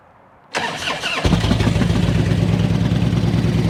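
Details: Barn-find Harley-Davidson twin bought unseen at auction, after being gotten running: quiet, then the starter spins and it catches at once, settling into a steady, even, low loping idle with no knocks or misses; normal start-up and idle.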